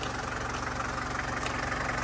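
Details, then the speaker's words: 1981 Mercedes 240D diesel, sitting about 15 years, idling; fast, even knock on every turn over a low rumble, traced with a pry bar as a listening tool. Later found to be a pair of channel locks hit by the belt and fan. "you take a bar like that you stick it on where you think the noise is and you'll hear a lot right through the bar something's rolling around in there somewhere"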